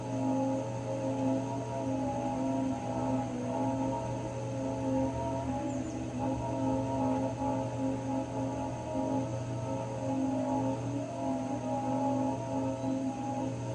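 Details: Raypak 106A heater: a steady high whine at constant pitch over a low hum, no rhythm or speed change; whining again, cause unclear.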